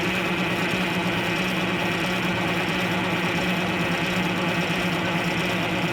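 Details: 74-year-old Greyhound bus diesel during fuel-system work, with a helper holding the fuel: a steady starter churn with a loose, uneven beat of about ninety a minute, never firing. Crank, no start; an airlock is suspected, not confirmed.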